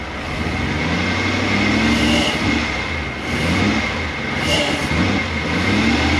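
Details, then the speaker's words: Toyota 1UZ V8 in an FJ40 Land Cruiser barn find, after seized injectors were freed by tapping: smooth V8 rumble swelling and settling evenly through revs, no misfire or stumble. Running healthy. "is it going to work sounds awesome hey i didn't have to give it any listen to that"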